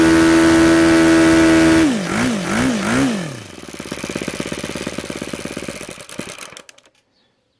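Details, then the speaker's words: YS FZ 63S supercharged glow engine after a rebuild with a new throttle barrel seal, on an APC 12x8 prop and 15% fuel (about 10,000 rpm top): steady screaming full throttle with clean blips and a smooth shutdown. It runs sweet. "you go ys FZ 63s she's running sweet"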